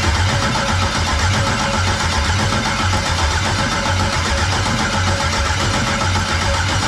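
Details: 1999 Firebird with an LS LM4 swap, first start attempt on a makeshift fuel system with wiring unfinished: steady starter cranking rhythm, never catching or firing. Cranks but won't start; no fuel pressure.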